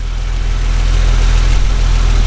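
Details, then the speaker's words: BMW E30 Touring, 176,619 on odometer, sport-style exhaust, idle right after cold start: low, even burble, steady and smooth, no ticking or misses; runs fine (inspection light possibly on). "See 176,619 there, and you can hear it's running fine. I'll show you the engine bay. And it runs great."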